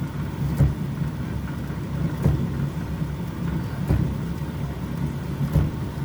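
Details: Electrolux inverter dryer TDH3497RDW, which turned on but its drum didn't spin due to a broken belt, after repair: low steady motor hum with a soft thump about every 1.7 seconds as the drum turns; running normally.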